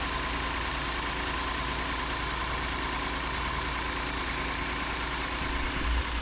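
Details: 2019 Hyundai Santa Fe XL 3.3L GDI, final check after new serpentine belt: smooth steady idle, even hum, no chirp or squeal; healthy.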